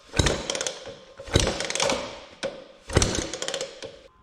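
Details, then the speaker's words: 1950s BSA Bantam D1 125cc, retested after fitting piston rings (9–10 thou clearance) and a new head gasket that had been missing. Kicking it over gives firm, even compression thumps about every 1.5 s. Compression is around 110, which is good. "I put a new head gasket on, which was missing before, tension it up, and do another test of compression. And you can already hear the difference."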